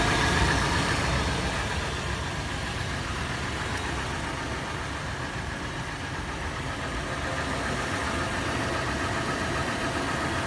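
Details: Toyota FJ warm start at idle: rough clatter settling into tapping about three to four beats a second, faster in park and neutral, slower under load in drive; cause not identified.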